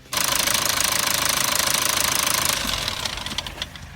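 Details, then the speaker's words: Lexus IS 220d diesel (2005–2012) after EGR valve blanked off with plate, previously rough running, stalling, no-start, warning light: steady even diesel idle clatter, no stumbling, running smoothly. "The car's running beautiful, it's not dealing with any exhaust gases, it's running like a peach."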